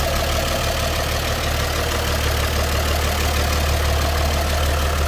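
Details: 1954 GMC 250 pickup, 248 inline six single carb, heard at open hood: steady low even idle with smooth unbroken beat, no knocks or misses; normal idle.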